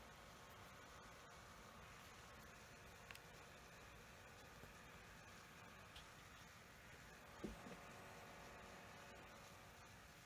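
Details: Lenovo Yoga 730 15-inch laptop (i7 8550U), left CPU fan faulty from new: steady even rough grinding hiss from a worn fan bearing, before the fix, which was replacing the fan.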